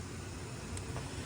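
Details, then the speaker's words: 1995 Lincoln Continental bought from an estate, unmodified 4.6-litre overhead-cam V8 idling: steady low rumble with no knocks, misses or ticks on top; smooth, healthy idle. "that little engine really really runs good that's a overhead cam 4.6 like I had in a Mustang one"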